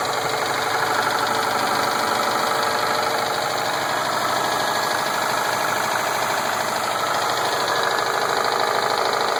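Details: 2007 Subaru Impreza WRX STI with Wiseco forged pistons, ACL race bearings and ARP head studs, idling: fast, loose tapping about three times a second; owner suspects rod knock, not confirmed.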